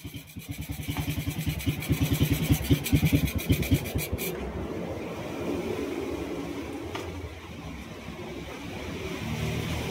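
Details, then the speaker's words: Honda Wave 125 idling after repair of a very noisy, grinding engine caused by a failed connecting rod; crankshaft replaced. Now an even, soft exhaust beat with no knocking or rattling, a quiet normal idle. "So tahimik naman siya. Ito yung tahimik siya ulang sa menor."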